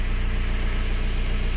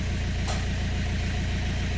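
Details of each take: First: BMW 118d/120d N47 2.0 diesel, after fixing a bad knocking noise and red oil pressure light: even, steady diesel idle with a smooth low pulse and no knock or tick; normal idle, fuel nearly empty. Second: BMW 1 Series 118d/120d with N47 2.0 diesel, oil pressure light on: fast, steady knocking at idle over diesel clatter, very bad bottom-end knock; engine possibly dead, cause not yet confirmed.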